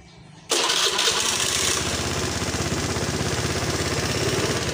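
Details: Honda Beat FI scooter that sputtered and died when throttled, after cleaning the throttle body and checking fuel pressure: engine catches at once and settles into a steady, even idle, now running normally.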